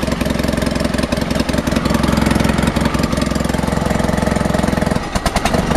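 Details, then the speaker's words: Honda HT3813 engine during compression testing, possibly low compression but running OK: even steady firing beat at idle with a brief blip near the end, no valve ticking and no obvious head leaks; normal running. "see on this one there's no obvious head leaks um like you don't even hear any valve valve noises on this like you did with the other engine"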